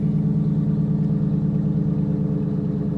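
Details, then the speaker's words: 2013 Ram 1500 Longhorn, 5.7 L V8, about 75,000 miles, fire-damaged interior, check engine light on: a loud, deep idle with a raw unmuffled chuff at each pulse because the exhaust is detached and hanging down. "you can hear the exhaust isn't even attached right there"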